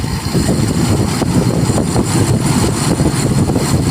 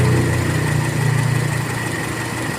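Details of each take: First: Toyota Kijang Kapsul 7K carburetor being set: engine climbs off idle with a sudden surge; the idle circuit cuts straight over to the relatively large primary jet instead of a smooth pickup. Abrupt idle-to-primary transition. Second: Toyota Kijang Kapsul 7K, warm, after carburetor setting: engine ticks over at a low, even, steady pace with no hunting or stumbling, judged a very nice idle. Normal idle.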